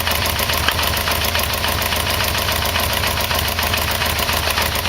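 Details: Yamaha VMX1200 V-Max after oil and filter change: light, fast, uneven ticking knock, three or four a second, over steady idle; owner suspects the timing chain adjuster; source unconfirmed.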